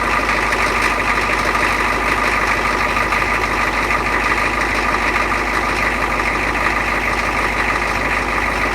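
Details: 6.9 IDI diesel cold start at 29°F with new injectors and injection pump freshly installed and timed: steady, even diesel clatter at idle with no misses or odd knocks, a normal healthy cold start.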